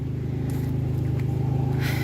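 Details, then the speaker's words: New 12V RV water pump on homestead 3/4-inch PEX system, cycling on more than expected with a small leak: low droning hum with a fast steady throb about eleven pulses a second; pump running rough, abnormal noise, cause unknown. "Okay, it doesn't sound really good out here, so I don't know."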